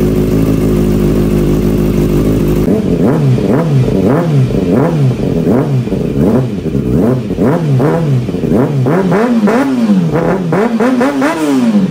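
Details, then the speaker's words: Kawasaki Ninja ZX6R salvage wrecked rebuild, muffler reconnected: smooth steady idle then quick throttle blips rising and falling cleanly with no knocks or rattles; engine sounds really healthy, normal running. "she sounds just perfect this is super good news guys you have no idea super good stuff so the bike does that the engine sounds really healthy"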